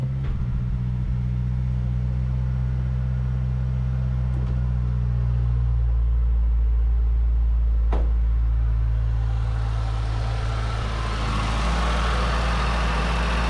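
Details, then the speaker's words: 2008 Mazdaspeed 3 first start after fitting CorkSport high-pressure fuel pump internals: low, even idle hum holds steady for over ten seconds with no ticking, misfire or stumble; sounds good. "well she sounds good"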